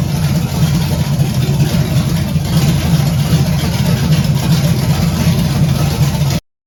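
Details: 1978 Camaro, 383 stroker with Vortec heads, first start-up: deep, strong V8 idle with a slight lope from a mild cam, steady and even without misses or ticks; not high compression, owner hopes about 325 hp; normal healthy idle.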